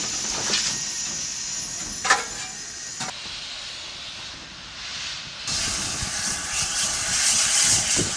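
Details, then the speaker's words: Steam locomotive on the North Yorkshire Moors Railway: loud steady hiss with sharp bursts as the cylinder cocks are open to blow out condensed water that could otherwise damage the cylinders; normal. "So we've got the cylinder cocks open, that's what you can hear hissing up there to let it all out."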